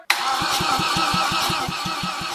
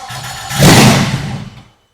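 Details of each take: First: VW 07K five-cylinder swapped BMW E30 before fuel system completed: starter spins engine in quick even rhythm, about three to four compressions per second, until battery dies; healthy cranking. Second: BMW E30 with a swapped Volkswagen 07K 5-cylinder, first start on starting fluid sprayed in the intake, fuel pump not priming: cranking, then a loud brief catch that roars and dies, blowing oil from a missing bolt; proves spark.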